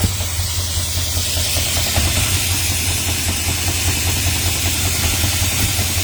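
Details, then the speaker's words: 1970 Dodge Charger V8 after heater core bypass, off throttle at idle: lumpy idle with a steady hiss and faint uneven puffing; owner says vacuum leak, also suspects an exhaust leak; oil leaks noted. "If I lay off the gas and I'm cut off though. You hear it? Definitely got a vacuum leak."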